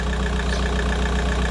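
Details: Volkswagen Golf 4 engine started to check for coolant leaks at the water pipe seal on the cylinder head side; steady even idle with low smooth hum and faint light ticking, no knocks or misses: normal idle.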